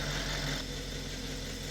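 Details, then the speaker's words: Audi S5 after replacing shredded serpentine belt and squeaky pulley (tensioner or idler unsure): steady even idle hum, loud high-pitch squeak from bad pulley now gone, accessory drive sounds healthy. "I don't hear that loud high pitch squeaking sound that was coming from our bed pulley. So, this thing was shot."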